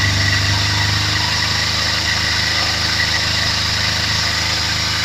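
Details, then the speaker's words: Kawasaki Z250 FI during manual throttle position sensor adjustment at about 3,000 rpm: steady fast idle whose revs lift slightly as the sensor is turned back, showing correct setting, then it is tightened. Normal idle speed rise during throttle position sensor adjustment. "oke terdengar naik ya itu pertanda cukup setelah itu Kencangkan lagi Kencangkan lagi ya oke adjustment selesai lihat I RPM bergerak naik sedikit lebih tinggi dari 3.000 ya"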